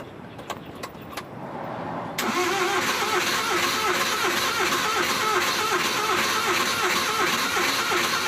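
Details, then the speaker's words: Suzuki van with hard starting, heard from inside: a click, then long rhythmic cranking at about three beats a second that never catches; before repair, owner suspects the distributor cap and plans to replace it. "So yun guys, hindi mandar. So siguro papalitan na natin na distributor cup."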